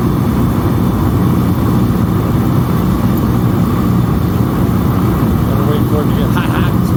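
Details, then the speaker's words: Master kerosene torpedo heater after an E1 shutdown repair, its wiring twist-capped, plugged in and lit while warming up. Steady, even roar of burner and fan with no sputter or surging; normal running. "the night Flames will stop coming out past the end"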